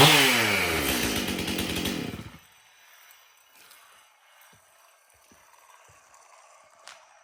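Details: Stihl MS 271 chainsaw, previously hard to start, after tank found clean and fresh mixed fuel added: buzzes high and clean, winding down evenly before cutting out with no sputter or misfire; healthy running.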